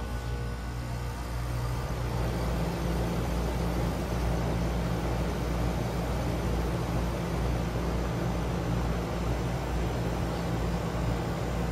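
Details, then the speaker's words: Newly self-installed package air conditioner unit fired up for the first time and blowing warm air from the top: an even low hum and steady fan rush with no rattles or squeals, running normally. "up and running. Nice warm air coming out of the top."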